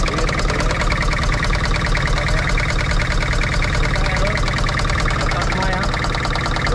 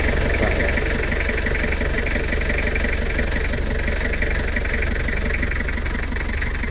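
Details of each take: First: Toyota Kijang Kapsul LGX 2L diesel, injector pump, nozzles and pressure checked good: clattering idle with an uneven knock about twice a second, rough running traced to a sticking valve shim before valve adjustment. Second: Toyota Kijang Kapsul LGX 2L diesel after valve clearance adjustment: even clatter at about four beats a second, steady and smooth with no tapping or misses, a normal healthy idle.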